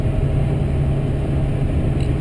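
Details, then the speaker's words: 2005 GMC Sierra 2500HD Duramax diesel, in-cab at highway cruise with new 4in Corsa/Jamo catback and FTE resonator; soft steady low rumble, no booming drone, resonator quieted it; a V-band leak at the turbo downpipe joint was also found; normal cruise. "with that ft resonator I think it's quieted it down a lot"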